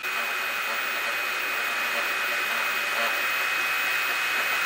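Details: Copymaster 500 3D printer after upgrades (stepper motor dampeners, adjusted gears, Z-axis stabilizer rods): soft, even whirr of motors with a faint high whine, no grinding or clunks; far quieter than before.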